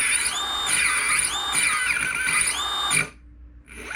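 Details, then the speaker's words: Blimp Drive paramotor under assembly, first spin of both electric motors driven by an Arduino with incorrect PWM setup: motors whine and sweep in pitch, then cut out as the speed controller intermittently reinitializes. "then it reinitializes every now and then which isn't great yeah there we go shouldn't be doing that"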